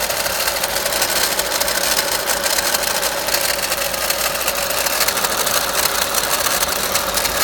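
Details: VW Golf Mk5 1.4 TSI (170 bhp), 66,000 miles, idling with a dense, fast metallic rattle; owner suspected alternator pulley, timing chain or water pump magnetic clutch, narrowed it to the water pump.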